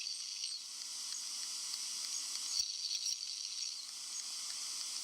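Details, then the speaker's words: 15-inch Retina MacBook Pro under heavy processor load emits a steady, thin, very high-pitched hiss with no low rumble: coil whine. "the hissing noise also known as the coil wine was pretty much present in all devices"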